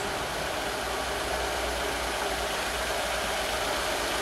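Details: Astra, warmed-up idle: hissy, uneven, stumbling beat; misfire attributed to a suspected blown head gasket, with pressure spitting back and a block-test check for combustion gases in coolant.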